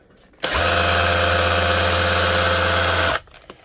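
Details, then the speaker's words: DeWalt DCH273 SDS rotary hammer, battery powered, final test after a full teardown, service and reassembly: a steady, even buzz with a low hum and no catching or rattling, switching between ordinary drill and hammer modes. The hammer is working properly. "You hear and feel the hammer. That's ordinary drill mode. You can hear the difference between ordinary drill mode and hammer."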